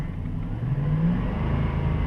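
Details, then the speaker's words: 2007 Dodge Durango after replacing the serpentine-belt idler pulley, revved from idle: engine rises smoothly with only a low rumble and none of the earlier RPM-rising whine; the worn idler was the source, and the belt drive now sounds clean. "and it's gone i don't hear it anymore so that idler wheel is definitely the source of that noise"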